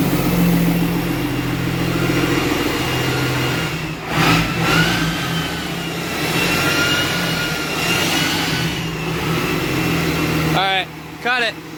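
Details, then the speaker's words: Hotshot diesel truck with exhaust brake/VGT work, started in neutral with throttle. The exhaust brake locked on halfway up a hill. Diesel drone with a thin jet-like whistle rising and wandering until shutdown; exhaust brake stuck closed. "so yeah like it the exhaust break came on and locked on for some reason so which is fine i got halfway up the hill and it started sounding like a jet"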